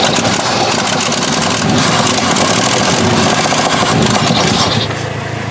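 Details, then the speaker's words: 1968 Chevy truck unrun 15 years, points cleaned, running on gasoline poured into carburetor, tank possibly empty: rough loud running with raspy ticking puffs and uneven pulses; massive exhaust leak. "I guess we just gotta basically run this thing until she gets enough gas in there massive exhaust leak though"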